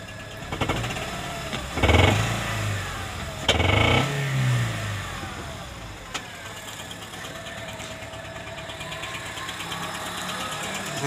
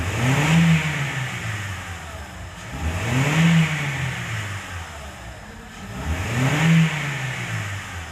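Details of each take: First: Honda Civic Hybrid, codes P1024 valve pause system stuck on and P0300-P0304 random misfire; rough idle with fast light clatter over engine note that grows louder on each throttle blip; loose rocker arm chattering, valvetrain noise. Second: Honda Civic Hybrid (Rebirth) after repairing sticking valve pause system (P1024) causing rocker arm noise and P0300 misfires: three clean throttle blips rising and falling smoothly, no tapping or clatter, only faint wiring noise; normal revving after repair.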